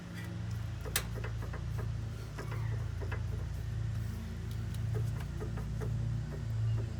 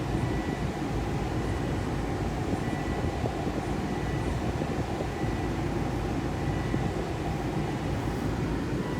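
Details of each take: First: 2.5L turbo Volvo XC90 with suspension clunk on rough roads: sharp irregular clicks and light clunks as the loose lower passenger-side sway bar end link is rocked with the suspension hanging; replacing the link cured the noise. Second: 2.5L turbo Volvo XC90 on a test drive after replacing the loose passenger-side sway bar lower end link: steady low road rumble from inside the cabin, no clunk; the suspension clunk is gone.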